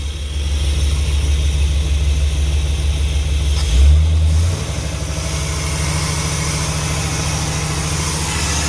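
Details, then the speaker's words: Old motorhome engine after brake and motor work: very loud, rough, uneven roar with heavy low drone and a surge; sparks from the exhaust and a rag caught fire; abnormal noise, cause not pinned down. "it's very loud [Music] it's extremely noisy up why it sound funny doesn't sound good"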